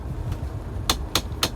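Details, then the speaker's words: Mahindra Thar, after a trip: four quick evenly spaced sharp ticks over quiet cabin hum whenever the AC temperature is adjusted up or down, stopping by itself after a while; clicking noise when adjusting AC temperature. "AC का temperature ऊपर नीचे करते ही टक टक टक टक की आवाज है।"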